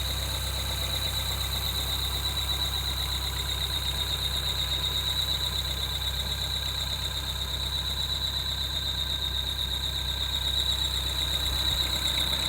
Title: 2013 Peugeot 208 GTi belt squeal